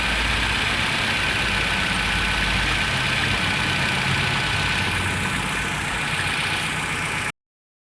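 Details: 2003 Nissan X-Trail QR20DE after crank-no-start (code P0335, crankshaft position sensor) was solved: steady even idle, smooth unbroken beat, no misses, knocks or ticks, settles and holds speed; normal idle.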